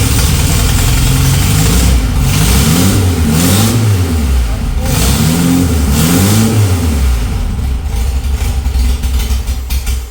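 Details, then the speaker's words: VW Beetle engine reassembled after cleaning, first start with fuel squirted into the carburettor: blips rise and fall cleanly with throttle, settling without stumbling; started on two cylinders, now firing evenly on all four. "That was banging on all 4. Definitely running on 4. You could hear it started up with 2, but I mean, there's a lot of stuff in those cylinders."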